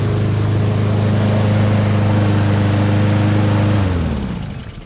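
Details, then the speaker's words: Honda lawn mower found discarded because it would not start; after the carburetor was cleaned and reassembled, the small engine hums steady and even at a fixed speed, then winds down smoothly at shutoff, running normally. "Cleaning the carburetor did the trick, so I hope this video helped."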